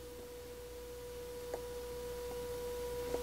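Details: 1937 Grunow Teledial Model 588 radio, output transformer tested with an audio generator on the primary and the speaker on the secondary: clean, steady tone around 500 Hz with no buzz or distortion; transformer and speaker pass signal properly.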